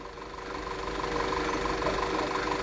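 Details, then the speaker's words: 2011 Audi Q5 (CDNC engine) with cylinder 1 and 2 misfires (P0301, P0302) and stalling, after replacing all spark plugs and two coils: smooth, steady hum with even tone and no stumbles; idling properly, sounds much better. "And now the vehicle sounds much better. Let's step on the X. Yeah. So, it definitely sound much better than before."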